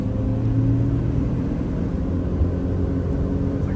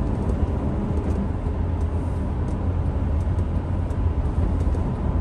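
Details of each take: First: 2007-2009 Honda CR-V at freeway speed: deep, steady droning wind-up hum, almost like a plane, under road rumble, from a worn rear passenger-side wheel bearing with grinding, fixed by replacing the bearing. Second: 2007 Honda CR-V on a highway test drive from inside the cabin, after replacing the rear passenger-side wheel bearing: a steady low road rumble with the earlier wind-up hum and grinding gone.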